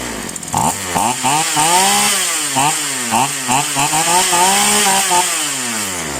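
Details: Polo PL-115i small two-stroke chainsaw with two-ring piston, after carburetor tuning: revved up and down repeatedly with clean quick rises and falls, no bogging or stumble; normal running.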